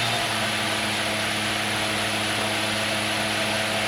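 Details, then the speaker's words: B.A. Shredder 2x72 belt grinder on a VFD fed 220V through a dryer cord in an apartment, switched back to forward after reverse: steady even motor whir, constant high tone, no knocks or rubbing; runs smoothly. "forward and reverse baby okay we're going back to forward 2 JZ baby listen to that engine go"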